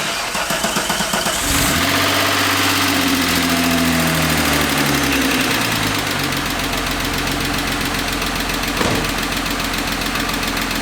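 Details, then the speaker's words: VR6-swapped VW Jetta, first start after turbo and intercooler charge piping install: engine catches and settles to idle with fast sharp ticking about four per second; very ticky motor, suspected valve train, unconfirmed. "this thing's a very ticky motor sounds like it's definitely coming from the valve train but i don't know"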